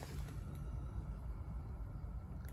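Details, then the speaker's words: Renault Zoe EV traction motor (71,000 covered, noisy bearings) after rebuild with new bearings, spun on the bench before refitting: quiet, even low hum with faint steady tone; bearings sound normal, making no noise. "all right well you can just hear the bearing but kind of a normal yeah normal noise there so that sounds really"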